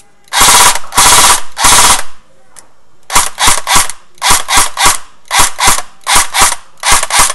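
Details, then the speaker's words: Echo1 USA Platinum M4 airsoft gun after replacing stripped piston: crisp rapid cyclic bursts, even shot spacing and steady rate on semi and full auto; gearbox firing normally, good air seal. "I have plenty of air coming out got a good seal tap a plate in the no moving freely"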